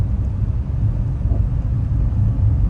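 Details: Car driven over bumpy road after replacing the front stabilizer links to cure clunking when the car rocks: steady low road rumble with no sharp knocks from the front; the front is now quiet, while the rear still clunks a little.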